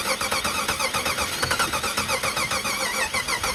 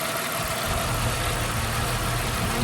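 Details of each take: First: 1991 Jeep Wrangler 4.0 L High Output that sputtered out and won't restart: fast, even cranking for about four seconds without catching, pointing to no spark; a failed crankshaft position sensor is checked via a dead tachometer while cranking. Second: 1991 Jeep Wrangler 4.0 high output engine, no-start after sputtering out, after new Hall effect crank position sensor installed: steady even hum with no misses, knocks or surging; normal idle.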